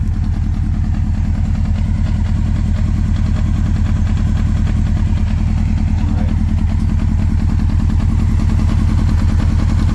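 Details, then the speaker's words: 1996 Honda 900RR Fireblade, 919cc carbureted inline four, cold start after not running for a few weeks, on choke: a steady, even low burble at fast choke idle with no knocks, misses or rattles. The engine is warming up normally. "but again this is a cold start she hasn't ran in a few weeks so everything's real small there's no heat in the engine so I will have to use the choke for just a few minutes"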